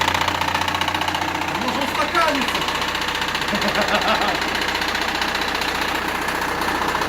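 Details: Engine knocking at idle, heavy and uneven at roughly two to three beats per second, as if the engine were about to fall apart. It turned out to be just a loose crankshaft pulley.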